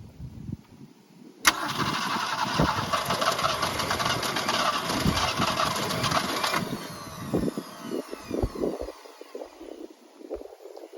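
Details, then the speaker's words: 1965 Ford Falcon six-cylinder parked since mid-1990s, points sanded, hot-wired, fuel poured in: rough cranking catches into loud ragged run about five seconds, then dies to sputters; first start after storage. "that thing will start thing will start I got it to start that's to me that started heck yeah"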